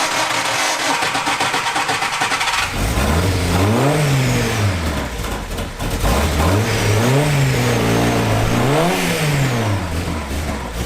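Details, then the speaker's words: 50-year-old Van Diemen Formula Ford race car, first start in 30 years after rebuild: catches right away, then revs climb and fall cleanly in repeated blips with a crisp, even bark; healthy. "nice one but she starts on the button"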